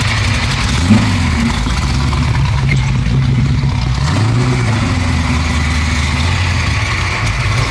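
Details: 1969 Camaro restomod, 427 Dart block V8: idles and blips unevenly, revs swelling and sagging; air-fuel reading around 35 suggests way too lean; spark plugs to be checked. Cause unconfirmed.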